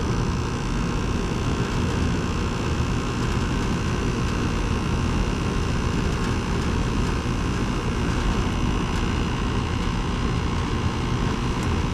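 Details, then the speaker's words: 2010 Carrier GasPack rooftop unit (14 years old), cooling mode on a 64-degree day after finding the no-heat cause; pressures checked, well above freezing; even unbroken hum and fan rush with no knocks, rattles or squeal: air conditioning working normally. "Well above freezing. I'd say it's still working. The air conditioning is working."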